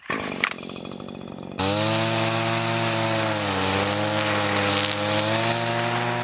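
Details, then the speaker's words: Line trimmer with Arnetoli F-ONE head, full throttle into plastic to induce line breakage: screaming engine, pitch climbing as line wears shorter until it snaps and the head swallows the line; engine over-revs unloaded. "the RPM was getting super high because the line was getting shorter and shorter and then it it swallowed the line unfo"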